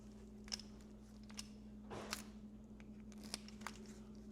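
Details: Refurbished Mercedes 300D-type (1973–1989) steering lock, fully disassembled and lubricated in the shop, bench test: a few soft light clicks as the key turns and comes out, smooth with no grinding or snapping; lock working freely.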